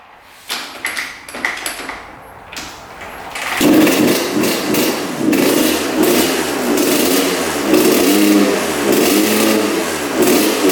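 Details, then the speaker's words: 1986 Honda CR125 two-stroke dirt bike: after spark plug and stuck throttle slide addressed it fires, but revs surge and sag with a bog at full throttle; suspected rich pilot jet and partially clogged exhaust pipe. "the bog almost sounds like the the pipe is clogged so I wonder if that's what's going on but it fired up so I think it was partially the spark plug and probably partially the throttle slide being stuck pretty far up but sounds pretty good but you can hear that bog at Full Throttle"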